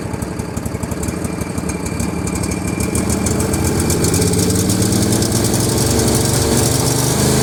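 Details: L118 single-cylinder engine, no choke, chugs slowly at a low loping idle with distinct individual firing beats, below normal idle speed, and starts and stops. Low idle speed.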